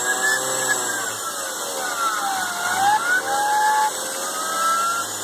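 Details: BMW E36 M3 belt-drive whistling whine rising and falling with engine speed; alternator replacement did not cure it, replacing main tensioner and idler pulley did; removed pulley felt very rough when spun by hand, so idler pulley bearing likely cause.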